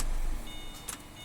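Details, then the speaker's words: After replacing a slipping front engine pulley and refitting the belt, test start: steady, even engine hum with no squeal or belt chirp; pulley side sounds normal, repair complete. "เตรียมสตาร์ทนะครับเสียงปกติแล้วนะครับนะครับเป็นอันว่าเราจบงานไปครับ"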